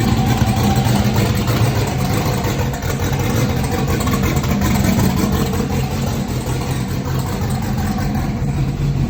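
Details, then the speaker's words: Junkyard turbo LS (L33) V8 on methanol, after swapping back flipped coil/plug wires that caused miss and sputter: deep, fairly steady idle with slight uneven lope, no obvious miss; running properly now. "It clearly sounded way better when I swapped the wires around."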